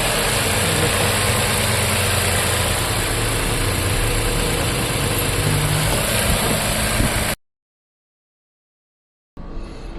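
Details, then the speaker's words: Toyota Camry 2021 V6 scanned for misfire code: idle with steady beat near four per second and slightly uneven loping pulse; cylinder 3 misfire, spark plugs being replaced. "ये है जी Toyota Camry ये मिसfirर दिखा रही है। ये देखो Camry 21 model ये cylinder तीन नंबर सिलेंडर मिस फायर है।"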